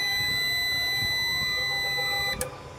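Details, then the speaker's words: 3500 W Long Life PV5000 hybrid solar inverter after repair of faults (09/52 errors) that had left it dead, switched on with no battery connected. A steady, shrill buzzer holds about two seconds then cuts off cleanly: normal startup. "ये देखें जी, ये इन्वर्टर हो गया स्टार्ट, क्योंकि हमने बैटरी नहीं लगाई। और ये हमने स्विच को ऑन कर दिया।"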